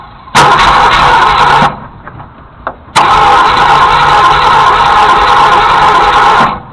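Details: Junkyard Ford Galaxie 390, previously seized and freed with transmission fluid and acetone, being cranked using ether: two long bursts of steady starter cranking that never catch; cranks but won't start.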